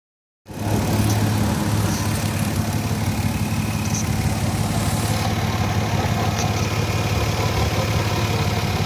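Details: Before fitting red headers and Y-pipe: steady petrol idle with a rough, puffing tick on the exhaust note, an exhaust leak (owner also suspected a bad cat); headers fixed the leak, but a weird sound on deceleration/idle remains.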